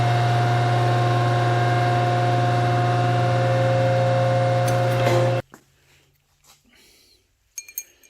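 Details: Metal shaper running: steady motor hum with an even stroke about every 0.4 seconds, no knocks or grinding, then a clean stop; it runs normally.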